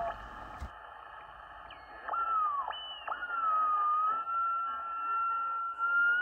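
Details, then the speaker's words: 1920s Grebe CR-8 regenerative radio receiver with the regeneration (tickler coil) turned up too far: sliding theremin-like whistles and squeals over hiss as the receiver oscillates. Back it off slightly, and turn up the filament rheostat if there is no whistle. "turn the Regeneration up till you hear whistling or squealing if you hear a click you've gone a little too far slightly back it off"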